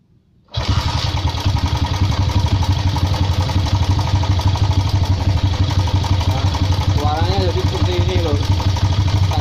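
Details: Honda CB motorcycle (same fault on GL100, MP, Tiger) at idle: rough uneven clatter about three beats a second from the head; slack cam chain from weak tensioner or stretched chain.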